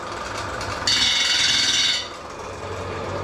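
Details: Australian-made concrete grinder on test after repair, plates screwed back on and vibration checked: motor spins up into a steady, even high rasping whir, then eases off; smooth, no wobble or knocking, running right.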